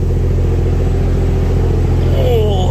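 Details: Barra-swapped Toyota JZX100 on standalone Barra harness, just after first start of the swap: steady, even low idle with a clean, regular firing beat and no ticking or knocking; owner says motor sounds mint. Normal idle.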